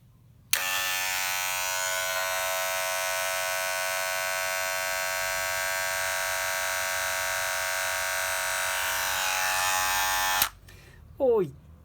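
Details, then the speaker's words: Cordless tattoo machine running with a loud, harsh, steady buzz, far noisier than it should be; replacing the circuit board does not necessarily fix such noise, and it measured 80 dB against 63 dB for a quiet one. "Olá pessoal, hoje quero dar uma explicação. Por que uma máquina faz barulho? Porque às vezes quando troca a plaqueta não resolve necessariamente o problema."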